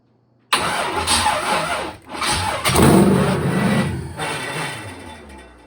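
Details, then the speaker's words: LS-swapped Malibu, first start-up: engine catches into a harsh metallic grinding roar with uneven surges, like a loose grinder; run without the torque converter bolts, converter loose in the bell housing; possible damage. "God dang, we don't need to run it without that converter bolts. Holy, you probably just exploded something, but it runs."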